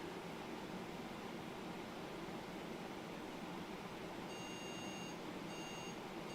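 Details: PC on test bench with a different power supply: steady fan hiss, then a repeating high POST error beep pattern at power-on; power supply judged okay, fault suspected elsewhere.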